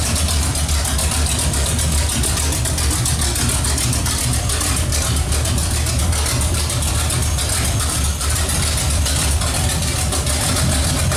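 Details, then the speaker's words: Pontiac 455 V8 with no exhaust fitted, running to cure heat paint: loud, deep, steady rumble firing evenly and strongly, no knocks or misses; normal idle. "sounds good hopefully your runs as good as it sounds and uh we actually got to quiet it down because we got to put an exhaust on there"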